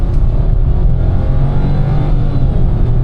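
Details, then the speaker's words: 2026 Nissan Magnite turbo petrol CVT under hard acceleration in D: deep drone held high and steady, revs running ahead of road speed. This is the CVT rubber-band effect. "काफ़ी ज़्यादा जो है रबड़ band effect आता है CVT का, जिस वजह से गाड़ी काफ़ी ज़्यादा खिंचती है।"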